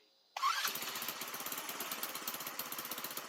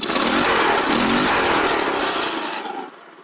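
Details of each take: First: Baja Dune 150 buggy with Chinese engine, owner suspects vacuum leak and unsuitable TruFuel: engine catches abruptly, runs rough with uneven pulsing about five seconds, then dies; starts and stalls, owner thinks it needs more fuel. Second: Baja Dune 150 buggy with Chinese 150cc engine after rejetting the carburetor with a 110 main jet: brisk, clean rev climbing smoothly without bogging, slight smoke, then fading; engine pulling properly.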